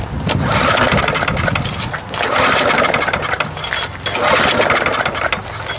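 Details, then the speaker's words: Lawn mower no-start, outdoors, before repair: rough rope pulls about every two seconds spin the engine without firing; no spark, lots of gas at the plug. "all right let's see what happens here i'll give her a couple of shots that seem to be working [Applause] here uh got no spark whoa geez"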